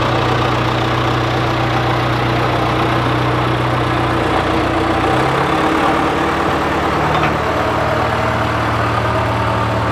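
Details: John Deere 410C backhoe diesel in winter cold: a steady, even rumble with no knocks or misses, the note shifting slightly as it moves off; healthy idle.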